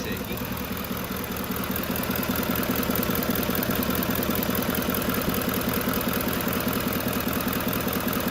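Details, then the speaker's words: Warm 2011 Lincoln Navigator (Expedition) V8 with aftermarket calibration and 600 rpm commanded idle: uneven, lumpy idle with two or three stumbles a second and the steering wheel shaking; rough idle. "shaky shaking a little bit let's check that uh we're still asking for 600 here let's check power balance it's a little shaky in the steering wheel"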